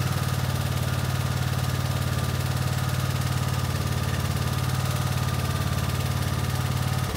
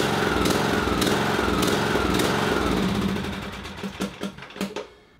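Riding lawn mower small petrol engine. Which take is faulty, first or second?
second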